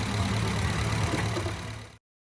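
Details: Honda Jazz GK at about 180,000 km idling after repair of a strange noise heard when driving: smooth, quiet, even idle with a steady low hum and no bearing growl or whir; the engine sounds healthy.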